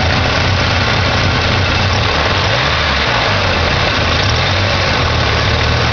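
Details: 1987 Ford Ranger 2.3L four-cylinder started after sitting a while: loud low idle that wavers and lumps unevenly; rough idle, owner suspects the carburetor needs rebuilding or tuning.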